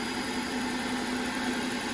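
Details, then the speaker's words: Audi/VW engine just after oil change, first start-up and idle: steady even idle with smooth constant hum, no knocks, ticks or rattles; engine sounds healthy. "as you guys can hear it fired up perfectly fine no loud noises no banging no"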